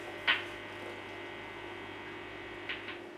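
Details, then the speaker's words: AXL Les Paul-style guitar through an amp, with one pickup cutting out: steady low mains hum with a buzzy edge that never changes; bad earth in the wiring. "We've got somewhere a bad earth on this. Let me just check this wiring."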